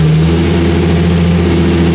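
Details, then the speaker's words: Nissan 350Z Nismo with an aftermarket Exedy stage 2 clutch and lightweight flywheel, clutch slipping; startup settles to a steady, even idle that sounds twin-disc-like, normal idle. "it kind of sounds sounds like it has like a twin disc in it which is kind of cool"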